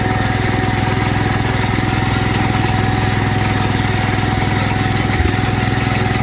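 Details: 1972 Wheel Horse Raider 12, revived after 15 years sitting in a shed, idling in a basement: an even, regular single-cylinder chug that holds without stumbling or surging. It earlier wanted to die at low idle; the idle is now healthy.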